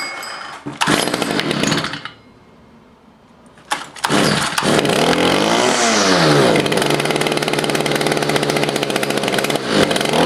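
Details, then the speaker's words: Stihl FS55 trimmer just after a carburetor, fuel line, fuel filter and air filter replacement (it previously would not prime): two-stroke buzzes into a steady, slightly uneven idle after a brief start and rev, before idle adjustment; normal idle. "Oh it is idling now I get out to adjust the carburetor"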